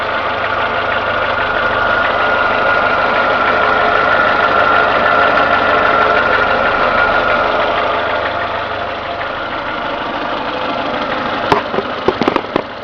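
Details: Renault Logan at steady idle, warmed to two gauge divisions: even, fairly quick knock about three to four per second; absent when cold, appears only as the engine warms, origin unknown. Engine knock.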